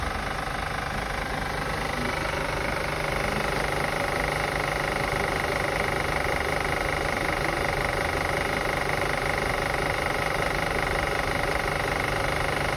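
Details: 2005 Acura TL after starting, steady idle: a fairly regular light tick, about three per second, over a busy, noisy background; valvetrain-type clicking, source unconfirmed.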